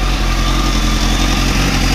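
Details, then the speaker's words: Motorcycle after repair and oil refill: steady, even idle with a smooth low rumble, no knocks or rattles; a noise heard earlier is now gone, engine sounds healthy. "I mean before when I was putting mccrutchen I hope you can hear me I was getting a noise and there's no noise now"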